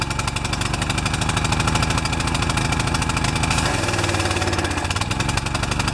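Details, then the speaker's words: Pressure washer with automatic choke that would not start since last fall; after an oil change, a new air filter and clearing a clogged bolt, it runs with irregular coughing and surging because the choke was stuck on, loading up rich. "You saw that video out on the grass where it was just sputtering and coughing and really not happy. This choke lever takes the choke off."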